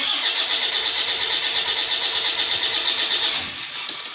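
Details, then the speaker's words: Diesel Toyota Fortuner stalled on the highway after running out of fuel, with a booster connected for weak battery voltage. It cranks with an even, rapid churn but never starts. Suspected issues: no fuel, weak battery, faulty starter, dirty MAF, dirty injectors. "Okay so it is cranking but we're not starting why is that it's I'll be getting fuel"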